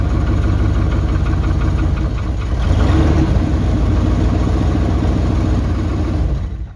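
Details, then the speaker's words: 1998 GMC K1500 that sat for three years, first start on a new battery: rough, deep idle with a loose puffing tick on each firing pulse from a small exhaust leak. "It's got a little exhaust leak, obviously, as you can hear, but it started up, ran good."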